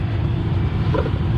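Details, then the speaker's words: 2017 Dodge Ram with a failed blower motor, just after replacing the blower motor assembly; steady even low rumble with no squeal, ticking or scraping, spins smoothly; normal blower motor operation. "so let's see if this fixed the problem but I didn't mean to I hear it all right and there it is one blower motor"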